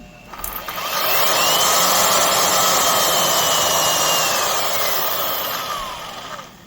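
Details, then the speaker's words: Craftsman 12 A (1440 W) variable-speed router, Skil-built with no motor bearing pretension: steady high motor whine sagging and recovering with a rattly edge; bearings rattling, spindle moves in and out, worn loose spindle bearings. "It just doesn't sound great at all. I wonder if you can hear it on the table better, but man, the bearings are rattling around."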